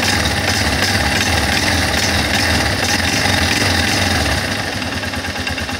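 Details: Guerrero 250 ATV: rough engine roar with a harsh, gritty edge under throttle; noise on acceleration, cause unclear.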